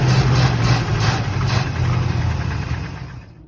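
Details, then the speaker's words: 1964 Corvette V8 started on a jump box and start button, with very old gas and fuel leaking from the carburetor, probably the accelerator pump: lumpy, uneven, loping idle before dying. Rough running, cause not pinned down. "Pretty sure it has spark, it just won't start with the key. It sounds like shit, but it runs."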